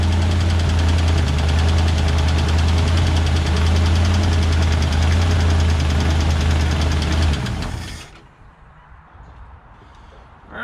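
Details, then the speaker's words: 1968 Ford F100 V8, warmed up after sitting 17 years, carburetor idle set high: a fast, steady ticking about four per second over a rough idle until shutdown. Valvetrain is suspected and valve adjustment attempted. "i don't know if you can hear that ticking but i hope it's under that valve cover right there about to figure it"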